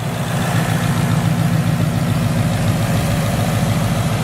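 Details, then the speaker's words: Wrecked S550 Mustang, first brief run during rebuild, no coolant system, straight pipes with no mufflers: deep steady low idle rumble with even loud exhaust note, no knocks or misses; idling normally. "Sounds pretty good. Like I said, there's no mufflers on it. It's just straight pipes in the back, so I have a little bit of a surprise for the exhaust too."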